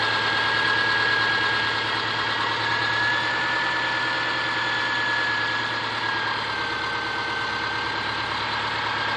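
Even flat-four idle with a steady light tapping around three per second riding over the engine note, pointing to a knock inside the engine.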